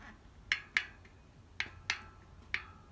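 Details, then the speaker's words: Wheel axle spun by hand gives sharp, uneven clacks, about five in three seconds, in a quiet room; the hub bearing feels seized and very notchy. Cause suspected, not yet confirmed, before disassembly. "Bon, je pense qu'on entend le clac. On vérifiera plus tard. Moi, quand je le tiens, je sens vraiment que c'est grippé. Ça fait des crans de malade."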